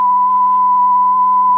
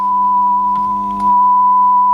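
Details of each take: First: Audiosonic boombox cassette deck after repairing its broken generic mech with parts from another unit and turning the speed pot counterclockwise to fix slow running with wow: a clean, steady test tone holds pitch without wavering; tape speed now correct. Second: Audiosonic boombox cassette deck with a repaired generic mech, playing a 1 kHz test tone: pitch is slightly flat and wavering, so the tape is running slow with wow. Something may be rubbing near the motor; the speed pot needs adjusting.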